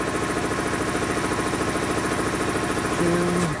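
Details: Dayton 240V 7-1/2hp shop air compressor, after motor, reed and capacitor repair and pressure-switch spring adjustment: steady even pumping thump about three and a half strokes a second, no knock or squeal; running normally, cutting in around 132 psi.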